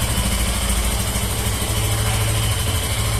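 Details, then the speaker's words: Nearly new Yamaha FZ15, 500 km after its 5,000 km second service, idles with a low, slightly uneven throb and an odd mechanical rattle from the engine; cause not yet diagnosed, dealer asked to inspect. "ela foi feita a segunda revisão 5000 km rodei 500 km com ela e agora ela tá fazendo um barulho muito estranho no motor"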